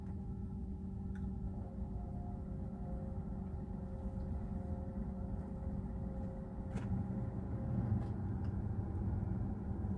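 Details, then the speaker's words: Maserati GranTurismo with newly installed touch-screen AC controller, fan speed stepped up, down and off: steady, even whoosh of air with soft low hum, no rattles or squeals; cabin blower fan runs normally. "Fan speed. Fan goes up. Fan goes down and turns off."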